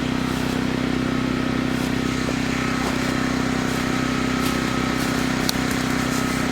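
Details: Chainsaw of roughly 50–60cc (owner unsure, maybe 58), on its second tank of gas and barely broken in, cutting old wood: a high, steady note holds pitch without bogging, pulling strongly under load, normal.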